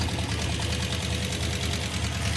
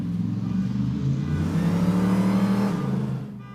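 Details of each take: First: Hemi V8 in Roadkill's Gremmie, running hot, idling with loud fast even valve-train ticking, louder on one side; suspected collapsed hydraulic roller lifter or loose rocker arm, unconfirmed. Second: Hemi Gremmie blasted up and down the street under hard throttle after a voltage fix for a rev-limiting problem: a strong pull rising smoothly through the revs with no stutter or cut-out at the top, the rev limiter gone and loud enough to set off a car alarm.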